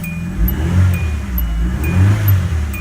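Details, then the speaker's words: 2010 Hyundai Accent after a coil pack replacement, which had set misfire codes P0300–P0304 with a flashing check engine light; revs and settles smoothly on all cylinders, with fuel smell from the exhaust; normal running after repair. "Must be a bunch of fuel got into the exhaust, but otherwise, it's running smooth, smooth, smooth. So there we go, it's all fixed."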